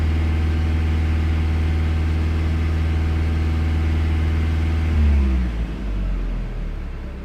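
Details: Low engine drone with an uneven pulse about four beats a second, then dying away; misfire.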